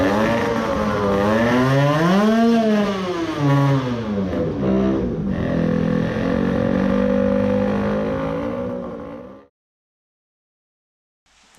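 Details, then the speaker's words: 20 hp tuned AM6 two-stroke moped engine with seizing crankshaft main bearings: revs swing unevenly, sag and the engine dies as the heating bearings drag it down, bogging again after briefly running fine. "but it was still broken. it again bogged down when the bearings heated up again"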